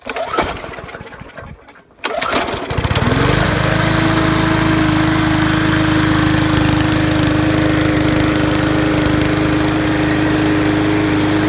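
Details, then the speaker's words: 2012 Murray 20-inch push mower, Briggs classic 300 series engine, run without air filter after carburetor cleaning and linkage, tank and diaphragm work; a few pulls, then a steady even drone, normal running. "So I'm gonna just show you it runs, and then I'm gonna give it a pressure wash and sharpen the blade."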